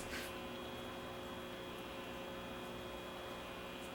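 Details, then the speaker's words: RCA A20C tube table radio with frayed cord and old paper caps, run at low current: the pilot light is on and the amplifier gives a steady low mains hum with faint buzz, but no station or audio is received. "I can hear the amplifier humming and the light is lighting up here so we know we got power"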